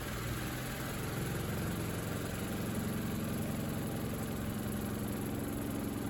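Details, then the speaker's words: Good Ideas XPB20-88S twin tub spin side, freed after being seized: steady low motor hum with buzzing vibration rattle, drum at moderate speed; spin works but is noisy and vibrates if not held. "doesn't look particularly fast and vibrate if I don't hold it it's vibrating but it's noisy if I don't hold it"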